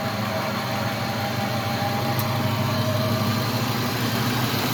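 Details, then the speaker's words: Truck belt drive (power steering pump, idler pulley, alternator), idling: low rough growl under steady run, narrowed to alternator or idler. "So I don't know how well you can hear it in the video, but it does sound like there's a growling noise. And when it's belts and pulleys, a lot of times it's really hard to figure out exactly what it is."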